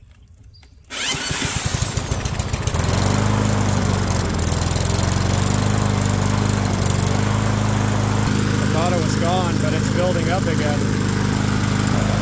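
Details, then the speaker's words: Yard Machines push mower, running at a steady fast pop with an even rhythm and no misfire, smoking while it burns off residual oil; suspected cause is the carb overfilling the crankcase and flooding the cylinder, and the smoke is clearing. "I'm still thinking the carb overfilled the crankcase crankcase flooded the cylinder owner went to fire it up started smoking like crazy"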